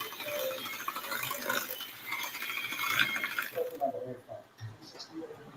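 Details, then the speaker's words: Kitchen mixer mashing potatoes; rapid rattling clicks and gritty grinding over motor hum, owner says it sounds like it was dropped; something inside catching, cause unknown. "This is something I always tell my mom. It sounds like somebody dropped my mixer."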